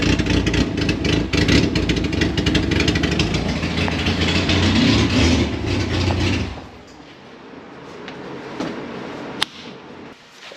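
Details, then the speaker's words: Honda Civic with a swapped-in B16 engine on its first start, no exhaust fitted: loud, raspy, uneven roar for about six seconds, then it drops away. Runs rough and unsettled. "so it was a very very big night last night but there was some success even though the car didn't sound great"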